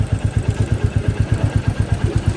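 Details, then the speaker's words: New Royal Enfield motorcycle at idle, before tappet adjustment: steady thumping about eight times a second with a dry clatter on top; loose tappets need clearance adjustment. "দেখেন আপনারা এখন এই গাড়ির ঝির শব্দ আসতেছে। যদিও গাড়িটা নতুন। এখন আমরা একটা ট্যাবিট মিলাচ্ছি।"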